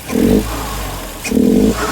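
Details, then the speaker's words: 2010 Hyundai Genesis Coupe R-Spec turbo 2.0L Theta II with a newly installed GReddy-style FV blow-off valve: two short rev blips, each followed by a quick clean whoosh with little flutter, where the old valve fluttered every shift; venting properly. "Working pretty good. It's not fluttering as much as it was. It was fluttering like all the time, literally every shift."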